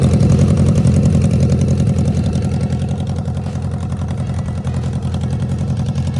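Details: BMW K100 motorcycle jump-started after a dead battery (a new lithium battery was bought): steady, even low thump at idle with regular firing and no misses or knocks; healthy idle.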